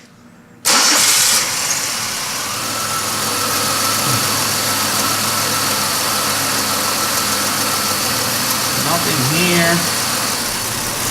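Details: 2005 Chevy Impala 3.4L with intermittent crank-no-start or start-then-stall, caused by the camshaft position sensor wire harness and found by a wiggle test: the starter cranks briefly, then the engine catches and settles to a steady idle after stalling.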